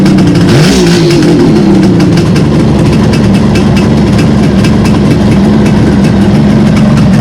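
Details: 1971 Kawasaki H1 500 two-stroke motorcycle, 50 years old, just fired up: catches after a brief blip and settles into a steady, even ring-ding idle, fast, smooth and clean; a good starter, nothing amiss.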